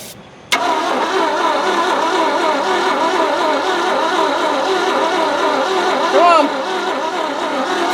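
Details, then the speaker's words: Abandoned 1971 Ford F100 with seized engine, cooking oil put down the cylinders, cranking weakly with steady even starter churn, sparking but never firing; cranks but won't start, compression suspected lacking, compression test next. "I don't think we have compression"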